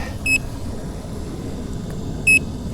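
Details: Nikola Plus 100V 1845Wh electric unicycle at end of full range test, battery essentially zero, heavy tilt-back: two short high beeps about two seconds apart over wind and tyre rumble, the low-battery warning.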